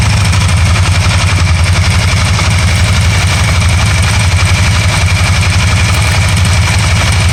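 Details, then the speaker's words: 2012 Can-Am Spyder RT-L 990 at idle after a misfire cleared up by itself: steady, even idle pulse at about three beats a second with no skips or stumbles; running cleanly. "now it just cleared up by itself."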